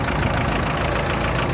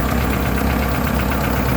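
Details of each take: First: Free Chevy S10 4x4 pickup after replacing leaking vacuum line and fuel filters: steady, even idle with constant beat, no hunting or rpm change; engine a bit loud but running smoothly, vacuum leak fixed. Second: Chevy S10 pickup, sat for years, air cleaner off: rough, uneven idle with a steady hiss and light clatter; dry-rotted, mouse-chewed vacuum lines are leaking, and it ran better when sprayed with starting fluid.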